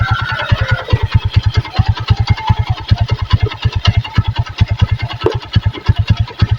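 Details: Megapro Primus motorcycle after carburetor service, CDI replaced with the original and corroded red wire repaired: low, fairly even idle without the earlier stumbling; charging normal, much better than before.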